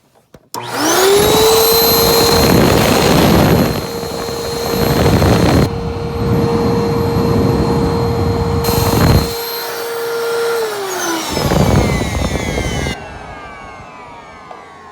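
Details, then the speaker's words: Eureka Altima vacuum cleaner, motor seems healthy, freshly washed parts reinstalled: steady high motor whine with a rough rattling buzz over it; a vibration somewhere, not the motor, source unknown. "so that sound you hear is a vibration somewhere and i'm not sure where could be"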